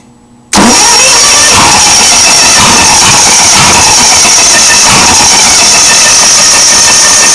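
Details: Onan engine after a new coil and wires, with spark, cranked on a 50 A quick-start charger: fast, steady cranking whir for seven seconds that never catches. Unburnt fuel vapor blows out the exhaust. Cranks but won't start.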